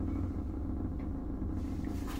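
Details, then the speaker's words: Ceiling exhaust fan running: constant low droning hum with a buzzy vibration; the fan's vibration is carried through the ceiling by spare tiles resting loosely on the ceiling panels. "자 지금 보시면 환풍기가 돌아가면서 지금 이 최종 계통이 진동이 생기는 데요"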